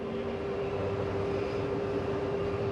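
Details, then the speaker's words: Catalina Legacy 263BHSCLE RV slide-out retracting: steady even motor hum; little noise is the safety mechanism keeping the slide from extending too far; normal. "Hear that little noise? That's the slide keeping itself from extending too far."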